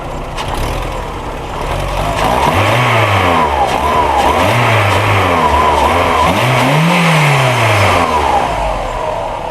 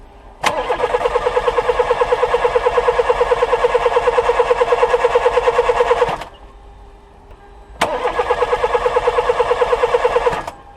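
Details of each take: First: Old VW Polo 1.4 L petrol, running again: revs rise and fall cleanly in repeated blips, smooth pitch sweeps, no misfire or stumble; healthy running. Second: Old VW Polo 1.4 petrol that won't start: two bursts of steady starter cranking at about three beats a second, engine never fires; mechanic suspects the ignition coil.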